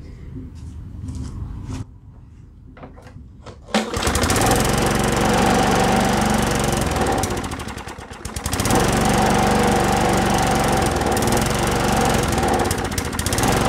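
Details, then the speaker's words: Lawn Boy push mower with a Tecumseh engine, no-start with a pull cord that felt odd, primed and started: runs steady, fades and nearly dies around eight seconds, then picks up. It runs off the primer fuel, indicating a carb blockage. "all right so it looked like it ran off the primer fuel and then stopped which indicates a carb issue as well"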